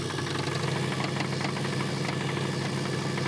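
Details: Old wagon engine, additive just poured into the crankcase to free suspected gunky stuck lifters: loud, uneven metallic clatter of about three knocks a second over the idle; knock at idle, cause unconfirmed.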